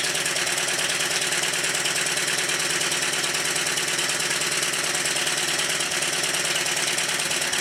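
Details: Newly built Stuart triple expansion model steam engine during run-in, on a rubber mat: brisk, even clatter about three beats a second at a steady pace, no knocks; healthy and smooth.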